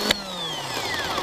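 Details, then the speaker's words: 1997 Toyota Corolla starter, which only clicked in the car, bench-tested off the car with jumper cables and a jumper wire to the S terminal: brief whine falling in pitch as it spins freely; starter works normally. "all I'm going to do is touch this side of this s terminal and then it will engage and roll the starter"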